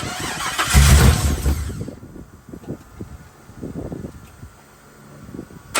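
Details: 1979 Chevy C-10 with 5.3 LS swap on first start after build: fires and revs briefly, then sags into uneven stumbling pulses and nearly dies; rough running and stalling, fuel pressure issues suspected.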